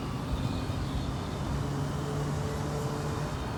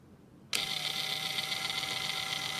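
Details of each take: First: Traxxas TRX-4 RC truck after greasing a dried-out transmission: smooth, even motor and gear hum with the earlier ticking gone; now running normally. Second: Traxxas TRX-4 RC crawler with the front driveshaft disconnected. High, gritty whir with fast fine ticking that seems louder under load. The cause is a dried-out transmission lacking grease, with no damaged gears; fixed by greasing.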